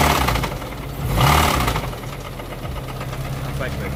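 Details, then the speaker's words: 1992 Honda Accord EX H22, first start after sitting seven years, idling in neutral: low rumbling idle with an uneven, loud ticking knock three to four per second; owner suspects the cams, not confirmed. "Ladies and gentlemen, I'm going to go out on the limb and say that this motor is done. Toast. Haven't driven it yet, but listen at this. Don't know what that is, but that sounds very bad."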